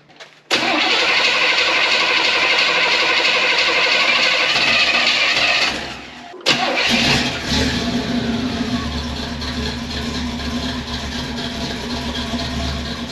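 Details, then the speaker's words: Pontiac Firebird V8 after swapping in a loaner 600 CFM Edelbrock carburetor: catches fast, blips up, restarts and settles into a steady, even idle with crisp, snappy response and good exhaust condensation; now running healthy, as it's supposed to sound. "right wow that's so much [Music] better that's what it's supposed to sound like"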